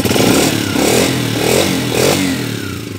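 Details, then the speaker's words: Honda TMX 125 Alpha single-cylinder after replacing cam follower and pushrod and setting valve clearance to 0.08 mm both valves: several quick rev blips with a clean, even note and no top-end ticking; healthy. "Okay paandarin natin yan oh wow Asus napaka smooth wala ng lagitik rev"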